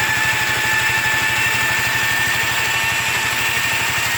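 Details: Yamaha Riva 125 XC scooter idling after starter clutch replacement, rear clutch relining and bell housing buffing: uneven rattly drone with faint high whine, worse with throttle; owner suspects worn variator weights, cause unconfirmed.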